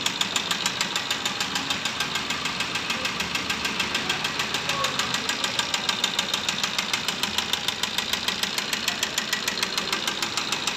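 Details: Maruti Ertiga diesel (Quadrajet engine) at idle: a sharp, even knock of about three to four raps a second over a bright clatter. The crankshaft is suspected, not confirmed.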